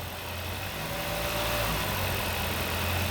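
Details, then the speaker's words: Hyundai 2.4L engine just after an engine transplant: steady even idle with a soft low hum and no knocks or misses; runs smoothly and sounds healthy. "There we go. That's success. Look at that. Nice. She's purring."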